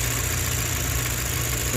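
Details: 2018 Chevrolet Cruze 1.4L turbo at idle with codes P0300 and P0201: low hum with a faint uneven beat from a dead cylinder; cylinder 1 injector is not being fired, with no signal on its control circuit.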